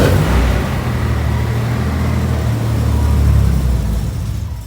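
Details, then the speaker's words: 1990 Nissan 300ZX starting after sitting unplugged, with its intake resonator tube missing. Low, lumpy idle that surges and sags without settling. Air is entering after the MAF, so unmetered air makes it run rough: vacuum leak after MAF sensor. "um but obviously this is letting in air after the maf and the map measures the air coming into your engine so if it doesn't know how much air is coming in it's of course going to run like crap"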